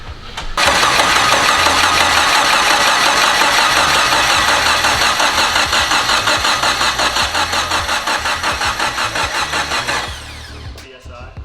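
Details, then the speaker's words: K20Z3 K-series engine swapped into turbo FRS, first start: starter cranks steadily about nine seconds, even beat near three per second to build oil pressure; even compression, no low cylinder. "also good cranking you don't got a low cylinder love to hear that"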